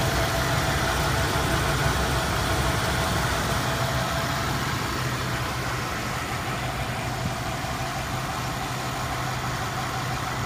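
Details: Idle with uneven lumpy stumble about three times a second: misfire of unknown cause; codes scanned, cylinder balance test passed all cylinders; cap, rotor, plugs, wires, coil and temp sensor already replaced, timing set.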